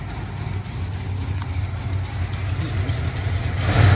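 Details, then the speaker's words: 1979 Dodge W200 Power Wagon V8 after manifold gasket reseal and new carburetor accelerator pump: much quieter, rises smoothly with no off-idle bog; slight collector leak and a ticking suspected belt/AC compressor remain. "it is a lot better I think I have a slight collector leak down there and it's running really good"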